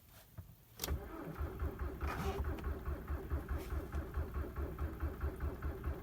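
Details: 2003 Jetta ALH TDI diesel cold start at about -19 to -20°C with roughly 20% biodiesel (gelled) and thick oil; slow, steady cranking that never catches, battery weakening; biodiesel suspected as a contributing cause.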